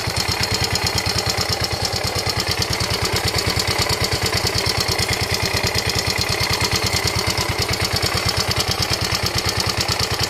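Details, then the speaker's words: Yamaha Ego Solaris scooter engine at idle, sounding very rough: a harsh, rapid clatter beating steadily over a rough mechanical roar. Opened up, the cause was a worn, scored cylinder and a broken cam bearing. "Di mana masalah dia ni ialah masalah enjin. Enjin dia bunyi kasar. Memang cukup teroklah bunyi dia ni."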